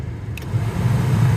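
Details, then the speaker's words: Chevrolet Express/GMC Savana rear AUX blower motor, Four Seasons replacement hooked up for a test before fitting, run on low: steady even hum with no rattle or squeal; normal blower operation. "Go ahead and turn it on low. And holy smokes, it actually does work."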